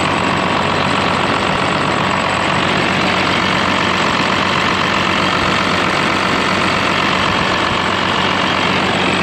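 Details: Cummins-swapped Ford F-550 with compound turbos on its first road test drive: steady, even diesel clatter with no stumble or heavy knock under light load; running smoothly.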